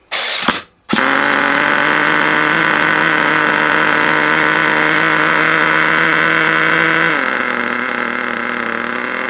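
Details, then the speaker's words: HotBodies 3.5 nitro engine in an HPI Savage 21 RC truck, after turning the idle screw out: high buzzing idle drops to a lower, even note and holds smooth and stable; idle now normal. "turn this out so it's uh there we go that should now there we go that's better"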